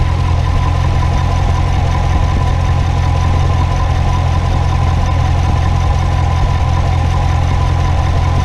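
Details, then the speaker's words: Corvette at idle, not yet warmed up: light, fairly even tapping about two to three taps a second, also felt in the car; dealer blamed the high-pressure fuel pump but owner doubts it; source unconfirmed. "so it sounds like maybe they're all like it between their who know they say as a high pressure fuel pump trying to get few to the end into the blah blah"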